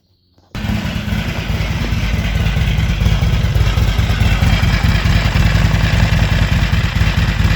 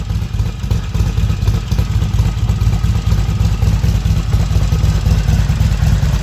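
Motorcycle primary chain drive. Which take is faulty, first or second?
first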